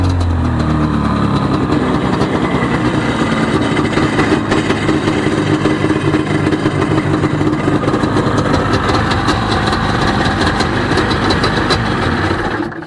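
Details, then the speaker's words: 1995 Sea-Doo XP 717 two-stroke on jumper box, no cooling water hooked up: crisp busy buzz holding even and steady for several seconds before cutting off, smoking so oiler works; normal running. "Well, we know it runs. Sounds pretty good. It's smoking, so that means that the oiler is working"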